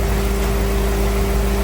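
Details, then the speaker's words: Crown Vic V8 in a C20 frame swap, warming up after vacuum leaks were plugged, transmission had been very low on fluid: low, steady idle rumble with no stumble or hiss; idles smoothly. "Definitely idles a little better now that all the uh vacuum leaks have been figured out and plugged."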